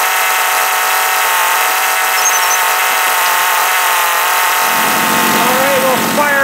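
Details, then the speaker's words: John Deere EV45 two-stroke chainsaw after carburettor rebuild with new diaphragm, high-speed needle being adjusted: steady high scream, clean even revs, no bogging; running healthy. "it seems all right there seems pretty happy"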